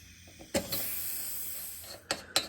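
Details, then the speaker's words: Used Coleman lantern being pressurized after oiling the pump cap. A faint, steady high hiss of air escapes amid handling clicks as pressure bleeds past the fuel cap; a replaced fuel cap gasket later made the tank hold pressure. Pressure leak. "now i already checked it there is a leak i already hear it you can hear that leaking"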